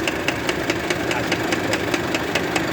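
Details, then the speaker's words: Volkswagen tow truck idling with power take-off engaged: steady, sharp metallic knock about five times a second from the hydraulic PTO box, stopping when it is disengaged; blown bearing, pump to be sent for rebuild. "aí parceiro ó o barulho que tá dando aí na caixa do hidráulico do caminhãozinho Volkswagen Olha que vocês V só na hora que ele aona no guin que ela bate tá vendo"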